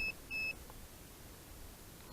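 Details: DJI Phantom 4 Advanced remote controller (GL300C) with a sticking left stick giving erroneous readings: two short high-pitched beeps about half a second apart, the calibration error warning as it fails to calibrate.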